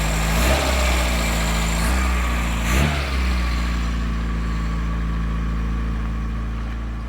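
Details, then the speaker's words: 1980s Vauxhall hot hatch barn find idling with a low smooth hum, no knocks or misses; original fuel pump delivered no fuel and was not used, engine running really smoothly. "Listen to that. Really, really smooth."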